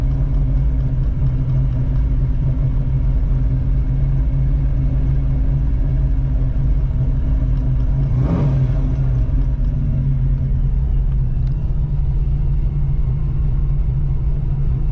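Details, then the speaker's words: 1985 Oldsmobile Cutlass, carbureted, with a brand-new carburetor, warmed up, water temperature under 100, foot off the pedal: deep, even rumble at steady idle, no misses, knocks or hunting; idle set where wanted so it won't drop and stall. "That sounds about where I want it to be. If you hear the idle, I don't want it to drop from there."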